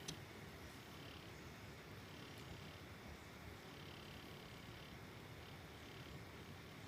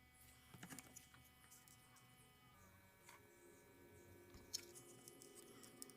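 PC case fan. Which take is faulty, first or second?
second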